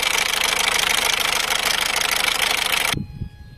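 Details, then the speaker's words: Mazda 3 1.6 MZR diesel (HDI) with leaking injectors, idling: a sharp, rapid ticking clatter, loud when cold and slightly quieter when warm; injector seal leak suspected, not confirmed. "Voilà, c'est un claquement quand le moteur il est froid, ça claque assez fort, et une fois le moteur chaud, il y a toujours le claquement, mais un peu moins."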